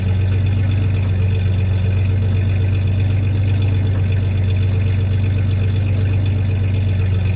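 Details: 1993 Ford Ranger 3.0 V6 idling with a slight misfire and a little rev. The clanking heard is the tie-downs in the bed, not the misfire.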